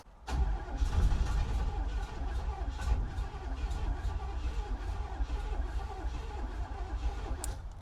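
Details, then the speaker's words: 1967 Cadillac Calais V8, sat 27 years, cranking after starter replacement with little or no fuel: brisk, even, healthy cranking with no fire; turns over much better than before; owner suspects the exhaust may still be clogged. "that turns over way better I think with a little fuel we should be able to get this thing to fire up"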